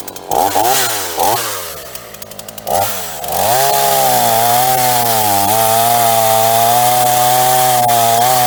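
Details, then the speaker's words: Repaired Ross two-stroke chainsaw cutting green wood after a new vacuum hose: a few quick revs, then a steady high buzz that holds pitch while cutting; pulls cleanly and sounds healthy. "So even with this green stuff, went"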